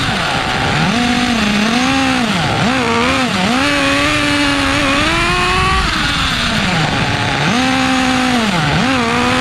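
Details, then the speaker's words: Restored 2006 OFNA Mutillator nitro RC buggy on first run after revival, idle trim being set: high buzzing note rising and falling with throttle, blubbery and lazy on pickup; running too rich. "Oh, running too rich, running too rich. Let's fire it up again. Just getting a proper idle trim setting, you know, tuning it a little now."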